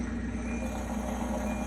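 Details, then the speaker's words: Samsung DW80M2020US dishwasher, under 2 years old, won't start with blinking light: steady low motor hum runs on without water sound, comes back on after switching off, as if trying to drain. Motor runs continuously, dishwasher won't start. "sounds like it's trying to drain but the unit ever starts and uh no water ever blows"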